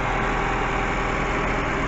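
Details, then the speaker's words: Mazda 3 2.0L after timing chain and engine mount replacement: steady, even idle hum with the earlier big rattle gone. "I don't hear any um uh rattling hear that super nice and calm like it never happened"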